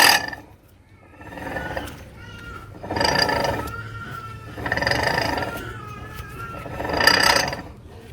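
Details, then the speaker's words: 2004 Lexus LX470 driver side, hub turned by hand: rough grinding from worn CV axle splines and hub flange splines rubbing, with a thin whistle from bad wheel bearings; hub and tie rod show play. "the grinding sound is the um cv axle missing teeth with the hub flange missing and the hub plant splines rubbing against each other because you're worn"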